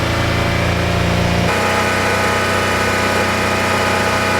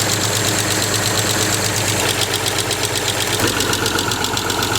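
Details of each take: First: Land Rover Freelander SE3 KV6 V6, hot engine, after the fix: a smooth, fairly quiet idle with only a faint tick left. The earlier knocking noise is nearly 100% gone. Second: Land Rover Freelander SE3 with a KV6 V6: a rapid, even ticking, nearly four per second, over the idle, sounding upper-engine rather than a low knock. Suspected hydraulic lifter tap, still being pinpointed by stethoscope.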